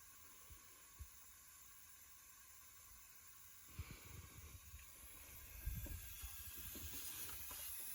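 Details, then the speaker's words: Subaru STI boost leak test at about seven pounds of pressure: steady high hiss of air escaping around the bypass valve hose; soapy water spray suggested to pinpoint the boost leak. "so with only we'll say about seven pounds of pressure applied and here's some pretty good hissing around there"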